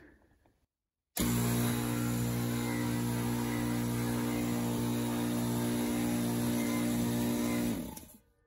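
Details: Craftsman 919.165200 5hp oil-free air compressor, new capacitor fitted, cord wired for 220v without rewiring the motor: loud harsh droning hum kicks in hard, runs about six seconds, then winds down; overvoltage from miswired motor.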